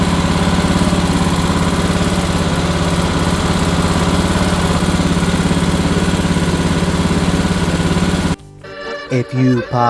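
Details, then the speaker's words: Kohler single on a Cub Cadet mower after sitting years in a shed with a mouse nest; carburetor cleaned of gel, fresh fuel, temporary patches: even thumping idle at about three beats a second, no misses or hunting. Runs properly. "but after cleaning the carburetor getting rid of some mild gel things in there some fresh fuel she actually fires right up with the temporary patches I made so you'll get to see proof of life here"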